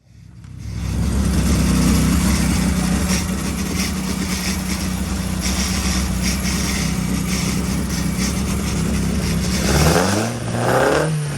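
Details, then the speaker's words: Carter 998 engine on the dyno with the distributor untouched; a timing light showed 55 degrees of advance at idle. A low, slightly uneven beat through the idle, then a quick blip. Lumpy idle from over-advanced ignition timing. "I thought I'd better just throw the timing light on and see how much advance is in it, because it was a bit lumpy and it had 55 degrees of advance at idle."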